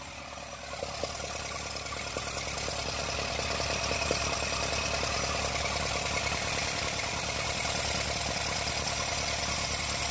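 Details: Isuzu NHR55 4JB1 diesel idling briefly with valve cover off, no radiator fitted: light regular valve clatter about three ticks a second; hard starting from leaking valves after too-tight clearance adjustment.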